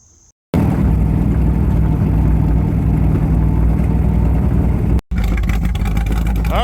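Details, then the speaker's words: 1978 Corvette C3 V8, first start after a year sitting and heads refitted, carb swapped over from a truck, cam break-in on old exhaust: deep steady even idle, no misses, knocks or ticking; cam break-in successful, some oil burning off from a leaking breather, gasket replaced; normal idle. "cam breaking was a success she is running she's idling sounding good burning a little bit of oil off the Breather was leaking"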